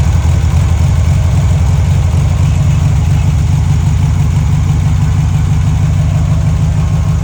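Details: Abandoned, salt-corroded VW dune buggy (VW chassis and VW engine) after cheap rebuild and oil change: deep, steady, smooth idle rumble, no ticking or stumbling; engine okay, though front carburetor leaks at hose connection.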